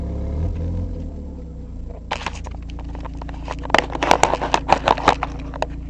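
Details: Mazda MX-5 with no gasket on the catalytic converter: engine runs then revs with a sharp puffing tick on each pulse, louder under throttle; exhaust leak at the converter joint.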